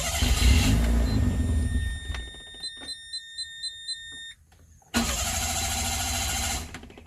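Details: Mira car cranks but won't start: starter spins the engine at an even rhythm twice, with chimes between, never catching; failed fuel pump, replaced.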